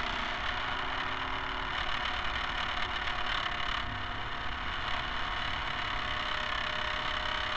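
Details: Camera barge first test run with a two-axis gimbal on top. A steady harsh rattling clatter over the drive hum, with no letup, comes from the rigid dog-bone motor-shaft couplers; flexible hose couplers are planned.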